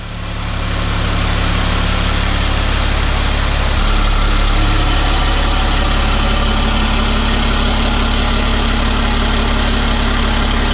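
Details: 1000 hp 6.7 Cummins Dodge Ram drag truck, started after refitting the guard plate, warming up: deep, steady diesel idle with an even pulse, no knock or rattle; normal.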